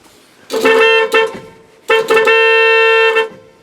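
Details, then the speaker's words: 1986 Dodge Ram D150 318, horns remounted and horn relay replaced after fuse kept blowing: two solid steady bright blasts about a second each, no sputter; working horn, good enough for inspection. "there we go [Music] yeah that works good enough to get through inspection"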